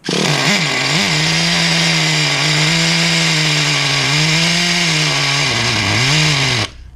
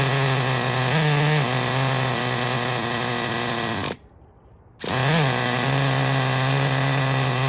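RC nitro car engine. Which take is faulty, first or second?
first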